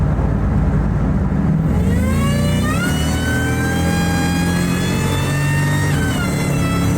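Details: Ford SVT Lightning (2001+) with a used 99–00 Eaton supercharger replacing the failed Jokerz unit, accelerating through the gears. Clean whine climbs with revs and drops at each shift, with no rattle or grind. Normal supercharger whine.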